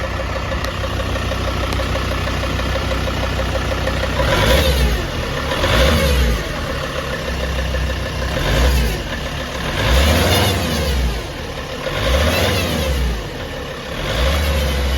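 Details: Mercedes ML 270 diesel, cold engine, being blipped: each rev brings a rising and falling whooshing, chirping noise from above the catalytic converter, perhaps the turbo. The noise goes away once the temperature passes about 80 degrees; the cause is unknown.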